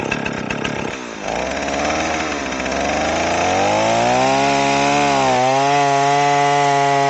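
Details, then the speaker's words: Stihl 038 AV chainsaw after carburetor swap, test cut in a log, not yet fully hot: revs up and holds a high, slightly burbling tone without crisp peak revs; carb tune slightly rich, can be leaned out. "kind of sounds like my tune is a little rich on here, which is fine. We can always lean it out a little bit,"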